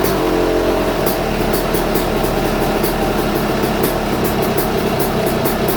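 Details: YZ250 two-stroke after top end, higher-compression 5UP head, on 60% race fuel/40% pump gas: crisp buzz held steady at fast idle with sharp even exhaust crackle; healthy, strong compression.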